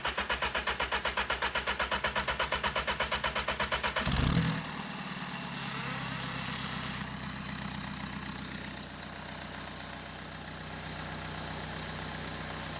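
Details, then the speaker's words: 2014 Volkswagen CJAA TDI, tuned, cranks with no codes: even cranking about four turns a second, then fires and settles to a steady idle while broken turbo wheel is held over; stalls when the wheel shifts back. "Oh, okay, so that wheel got pushed over, so holding it over there, it starts up, runs fine, and then it doesn't take much for it to get pushed over and stall it out."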